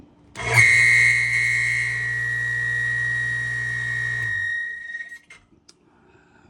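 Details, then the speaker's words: Harbor Freight 1 HP water pump from an off-grid cabin, previously run dry, drawing over 5000 W at start, run dry on bench: motor hum under a piercing steady high screech until switch-off; dry, seized shaft seal. "it does not sound good."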